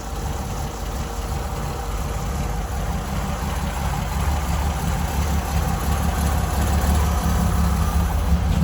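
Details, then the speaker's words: Holden grey motor straight six, valves just adjusted, air filters on, temporary exhaust exiting straight out of the muffler with no tailpipe: steady, even low idle with throaty loose exhaust note, no knocks or misses; normal idle. "now that exhaust is only temporary out of the muffler obviously I'm not leaving it like that I just didn't have the time or brain space to bend up the whole tailpipe so I just did that there to get it running so um sounds good hey sounds good the back pressure"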